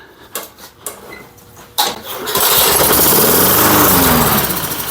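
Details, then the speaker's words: Lawn-Boy Silver Series 10302 mower, sat 15 years, after tightening the loose blade on its tapered crankshaft adapter: a few pull-cord tugs then strong even churning, spins over freely; cranking now normal. "there that felt and sounded a lot better yeah I can't believe that's what it was that was a sneaky one wasn't it"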